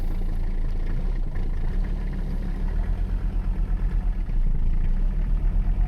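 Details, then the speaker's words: Mercedes 300CD diesel started after waiting for the glow plug relay, foot on brake: fires right up into a deep, even idle settling to a steady low throb, a healthy start. "you gotta wait on that relay foot on brake relay click fires right up like a dream"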